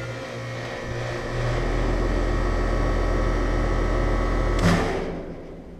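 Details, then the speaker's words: Outdoor AC unit with Bristol compressor: steady low hum, then a single loud thump from the fan motor as the unit shuts down. The thump disappears when the fan or compressor runs alone, and a switch change didn't help. Cause unknown. "but the strange noise is that when the unit shuts down there's a loud wamp that comes from the fan motor now when I disconnect the compressor and do just the fan motor by itself the noise isn't there"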